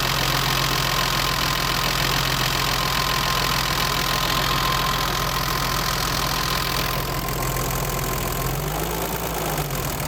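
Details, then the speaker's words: BMW 325i E30 with M20 six-cylinder, idling after adjusting valve clearances to spec: fast, busy ticking and clacking about four times a second. Owner feels it is still fairly noisy, valve train clatter. "bon j'ai l'impression que ça fait pas mal de bruit quand même"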